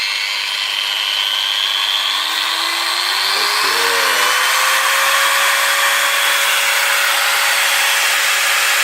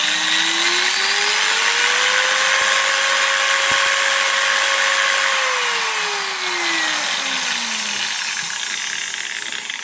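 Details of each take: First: Makita 9565CVR 1400W 125 mm variable-speed angle grinder after a new armature and reinstalled carbon brushes, run at lowest speed: a smooth, rising whine settling into an even high-pitched run with no sparking at the commutator; the armature was the fault. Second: Makita 9565CVR 1400 W 125 mm variable-speed angle grinder under test: whine climbs to full speed, holds, then winds down with a harsh crackly edge, heavy sparking at the commutator; faulty armature confirmed.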